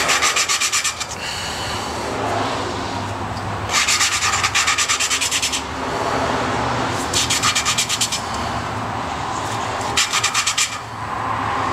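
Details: Lapping a rusted, slightly pitted valve into its seat with grinding compound: bursts of gritty rasping from rapid back-and-forth strokes.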